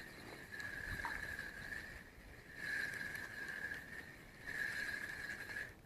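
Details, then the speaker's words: Gunki FV 300 spinning fishing reel, about four to five years old, before disassembly and cleaning: a thin, scratchy whirr swells and fades with each handle turn over rough grinding. The reel sounds horrible; after cleaning and reassembly the noise was gone. "ça marche nickel donc ça c'est un moulinet qui avait encore quatre cinq ans après ses frères john key et il faisait un bruit vraiment à bout de enfin verte ouest menu horrible"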